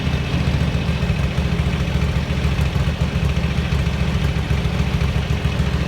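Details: 1983 Ducati MHR bevel-drive V-twin with 40mm Dellorto carburettors, idling after vacuum-gauge carb balancing: deep, even thump with steady rhythm and no stumble; carbs well balanced, idle possibly still slightly high.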